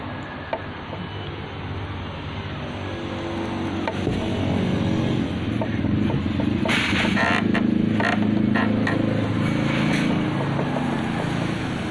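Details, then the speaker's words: Honda Scoopy 2021 with rough noise two days after an oil change: harsh, gritty running with rattly bursts. Abrasive emery compound was put in the oil, destroying the connecting rod, piston and cylinder block. "lahirnya ini cukup kasar temen-temen Ayo kita putar Zaini kasar suaranya ya"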